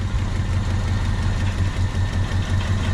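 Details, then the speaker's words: 1996 Honda Civic coupe started after sitting 8 years, right after fitting a new distributor because the old igniter and coil were suspected burnt out; smooth, even idle with no knocks or misses, run briefly without coolant. Normal idle. "Yeah, she's hot. All right, boys. She's running."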